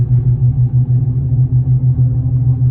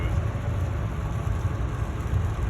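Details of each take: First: 2015 Ford F350 at road speed: deep droning hum swelling and fading about three times a second, a womp per tire revolution, louder with weight, changing with steering, felt in the steering wheel; no play, no ABS light. Worn front wheel hub bearing. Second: 2015 Ford F350 driving after front wheel hub bearings, brake pads and rotors were replaced: only low, even road rumble, no growl, hum, wobble or steering-wheel vibration. Normal driving, no bearing noise.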